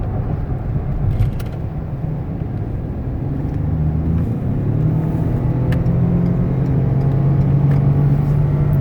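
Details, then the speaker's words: 2015 Ford Expedition 4x4, about 79,000 miles, freshly changed oil, no warning lights, two-wheel drive highway test run hard up to 70 mph: engine drone climbs steadily with clean drops at each upshift, no knocks or slips; healthy engine and transmission. "I'm gonna run it pretty hard so you can hear the engine run and the transmission shift"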